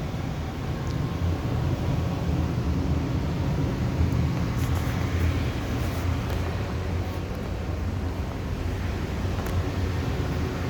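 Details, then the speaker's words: Amana 95 IIQ two-stage variable-speed gas furnace running on high stage, heard at the unit: steady low even rumble of burners and blower, no rattles, scrapes or surging; running good, normal operation. "But she's running. She's running good."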